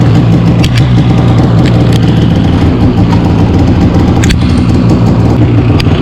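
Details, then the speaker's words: 2015 Polaris Switchback Assault snowmobile two-stroke just after spark plug replacement for no-start and misfire: steady low burbling idle, even and uninterrupted, no stumbles; started on second pull, normal idle. "start it up second full [ __ ] rights so the problem's fixed"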